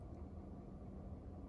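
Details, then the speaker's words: Vetroo V5 air cooler on an AMD Ryzen 3 3100 overclocked to 4.2GHz, idling at 31°C with the tempered glass closed. Mic 4 then 2 inches from the case. Soft, steady low hum with no rattle or ticking. Quiet, normal CPU fan at idle. "This cooler is pretty quiet, as you guys can hear. I have the tempered glass closed, and while idling, you guys can hear the fan noise."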